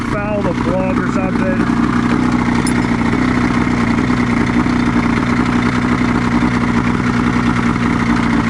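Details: 1989 Honda Pilot with a swapped Ski-Doo 670 snowmobile two-stroke: uneven, lumpy idle with a stumbling beat, lacking power. Misfire, one cylinder apparently out from a fouling spark plug.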